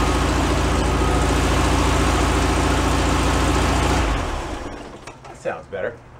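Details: 1978 VW Super Beetle air-cooled engine, long stored, after oil cooler leak repair and hose replacement: steady, even idle at about 214 beats a minute for four seconds, then shut off; runs smoothly and sounds healthy.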